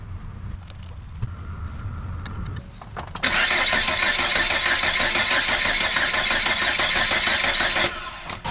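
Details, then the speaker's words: Volvo 480 after fitting a new distributor, still before new HT leads: starter whirs steadily about three turns a second for five seconds but never catches; crank no start. "Okay. So, it still doesn't start."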